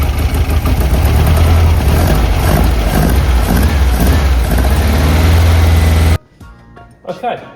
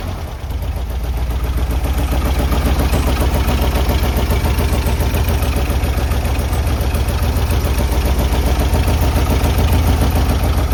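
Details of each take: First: Classic VW-powered Porsche 356 after a fuel tank repair, before carb tuning: loud, uneven idle with a lopsided pulsing beat. Twin carburettors are unsynchronised, one side much more open and the linkage far out, so it runs lumpy. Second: Classic VW-powered Porsche 356 after the carb linkage was adjusted: a steady, even idle with a regular low beat around 214 per minute and no misses. Smooth idle.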